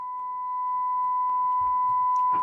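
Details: Clean, steady mid-pitch test tone with no wavering or crackle, plus some handling noise, from a loft-stored 1965 WEM Clubman MK2 guitar amplifier during its service; the amp passes signal properly.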